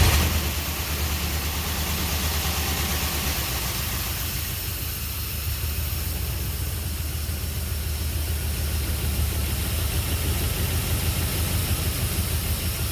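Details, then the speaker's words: Jeep engine with new connecting rod bearings, very first fire-up after reinstall, good oil pressure: low idle with slightly uneven beat and faint hiss; owner thinks it may be missing a little, possibly a vacuum leak, nothing leaking on ground; rough idle with hissing. "Seems like it might be missing a little bit. Maybe a possible vacuum leak. I'll have to double check everything. I hear a hissing noise."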